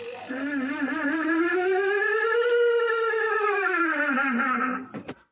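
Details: Washing machine spin-dryer: a loud whistling squeal rises in pitch, then sags as the spin slows. The black seal above the spin motor has dried out after long use and rubs; fixed by oiling it.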